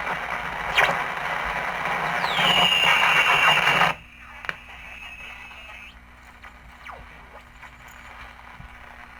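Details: 1947 TempleTone radio at first power-up after tube tests, before restoration: hissing, crackly reception with a high whistle sliding in pitch then fading. Static and squeal on reception, cause unknown.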